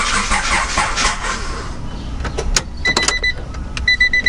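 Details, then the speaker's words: 1993 Honda Prelude Si H23 after a new timing belt, rear main seal and clutch, cranked for oil pressure with the distributor disconnected: an even starter churn for a couple of seconds with no firing. Normal cranking without ignition. "crank it to good luck for oil pressure right now the distributor is disconnected so"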